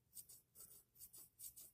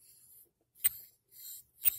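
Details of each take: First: FURA flipper knife after a drop of oil from a needle-tip oiler on pivot bearings: soft quick swishes as blade flips open and shut, earlier grinding gone; pivot now smooth and quiet. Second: FURA flipper knife (Serge Panchenko design copy): about ten gritty scraping strokes with sharp clicks as the blade is flipped, pivot bearings grinding, possibly unlubricated.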